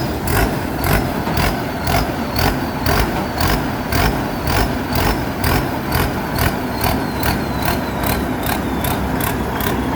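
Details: Rice combine harvester diesel idling after a pump technician fixed a pressure leak in the system that stopped it restarting after stalling. Even idle, steady firing pulses about two a second, no stumbling or hunting: normal idle.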